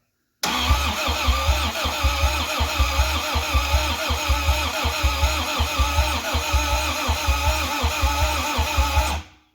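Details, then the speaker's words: 1985 Toyota MR2 with 4A-GE 16V engine, first start attempt after sitting a long time, fresh oil, in neutral, cranked via jumper wire: uneven, lumpy cranking at about eighty beats a minute. One cylinder is clearly weak through the exhaust, with a burning smell; cause unknown. "one cylinder sounds really weak like really weak yeah because you can hear it through the exhaust"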